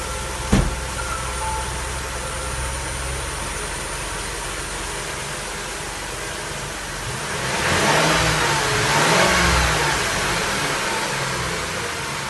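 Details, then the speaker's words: 2004 Mercury Monterey with misfire codes P0300–P0303 and P0316, after a new coil pack, fully reassembled: even idle, then revs up smoothly and settles back without stumble or miss; running clean. "seems to be running pretty smooth things seems to be going okay I think we got it fix guys"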